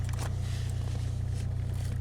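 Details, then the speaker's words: Saab heater blower motor on a cold January day, with a previously replaced resistor: a low, pulsing, straining hum that never spins up. The motor is seized after making a noise; it was found soaked with water, and ice or water is suspected. "I can hear it trying to do something. Oh, it's freaking wet. Ooh, it is soaked. Yeah, I bet ice or something got in there."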